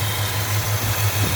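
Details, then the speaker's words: 1965 Chrysler 413 wedge V8, warmed up, after new points, condenser and cap and timing set by ear, idles with an even, steady low pulse and no misses or knocks over street traffic; former idle roughness gone. "so there it is running uh smooth if you can hear it with the traffic on my busy Street"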